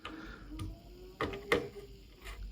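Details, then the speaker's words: Akai GX-75 MK2 cassette deck, unserviced about 20 years, transport being removed: a few irregular mechanical clicks over faint low hum as transport goes erratic after a small bump; owner suspects faulty potentiometer. "yeah so there is definitely problem with with this potentiometer yeah okay you see just a small bump and it starts to go crazy"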